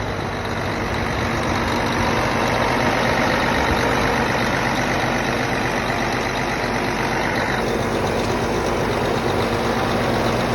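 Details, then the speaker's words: Cummins ISX diesel truck after installing a new fuel pump head to fix code 559 low fuel rail pressure (SPN157 FMI18), in cold weather: steady even idle clatter with no stumble or surging; code later cleared; normal idle. "time to fire him up y'all hear it guys new fuel pump installed priming ah woo we do it all around"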